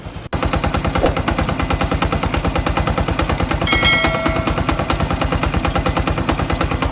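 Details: Honda XRM 125 fi engine with suspected worn clutch damper rubbers: fast, hard metallic clatter at about three beats a second, like a machine gun, heard before teardown; clutch damper rattle, gone after repair.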